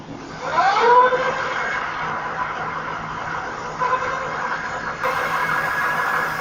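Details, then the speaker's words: Lectric XP e-bike hub motor after replacing the control module: whine climbs quickly in pitch as it spins up, then holds a clean steady hum; motor alive, normal run. "It is definitely alive."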